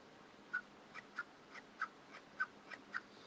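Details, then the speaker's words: Axial SCX24 RC crawler's never-oiled shocks pumped by hand; one sticks, giving short squeaky creaks about two per second, not grindy. Dry sticking shock absorber. "but it's like kind of squeaky, kind of not grindy, but you can hear it, and I don't think you're supposed to be able to hear it."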